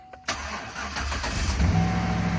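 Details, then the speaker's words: 2013 GMC Sierra/Chevy Silverado that previously would not start, after a rat-damaged, shorted fuse box was replaced with a junkyard unit: a short crank, then it catches cleanly and idles smoothly. "it starts beautiful"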